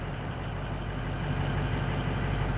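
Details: 2003 Ford F-250 diesel with an intermittent extended crank on morning starts, running after an ECM from an identical truck was installed: a steady, even idle with a low rumble and no knocks. ECM fault suspected; GPCM, harnesses and glow plugs were already replaced.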